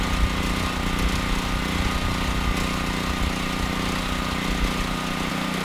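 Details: Generac XG8000e generator with a 407cc GH410 engine and clone carburetor, after the AVR was swapped: it was hard to start and has a steady single-cylinder run with a slightly hollow, uneven beat. Carburetor running lean; smooths with partial choke; carb to be reworked.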